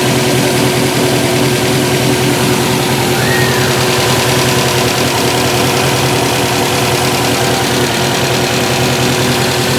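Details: 2014 Subaru WRX Premium at idle: uneven, loping beat of about two to three pulses a second instead of a smooth hum; rough idle under diagnosis.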